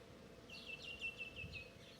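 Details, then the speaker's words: JT-600 12V pump on a car battery, submerged, unable to draw water even through a 10 cm tube: a thin high buzz pulsing on and off, sounding unloaded. The pump runs but does not draw water. "As you can see, nothing is coming out of the pump, and it's submerged in water."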